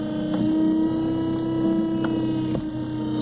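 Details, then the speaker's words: Minn Kota i-Pilot trolling motor running on remote with lower unit bolts (5/16) loosened and misaligned: steady high strained whine, motor dragging; costs power, drains battery faster, hard on brushes and motor until realigned to the sweet spot. "Now, what happens when that's not aligned? Well, you lose power. It puts a drag. You don't get the battery life out of a charge in your battery because it drains it quicker because it's using more energy."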